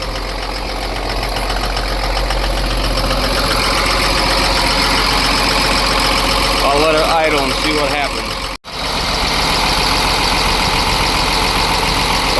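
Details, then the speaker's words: Ford F750 with Cummins diesel that sat for years, first start after a fuel filter that had run empty; steady, even idle clatter, the earlier skip now gone, owner thinks the problem is found; oil pressure good. "that sounds better. Let it run a while. Make sure that skip is gone. I think we found the problem. Sounds pretty good."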